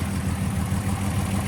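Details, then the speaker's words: Fully rebuilt VW GTI VR6 with new double-resonator exhaust, no tailpipe tip, manifold leak believed fixed; low smooth even idle, no clicking or ticking from front, alternator noise gone. Normal idle. "no more noises from the alternator awesome kind of sounds goofy without a tip on there"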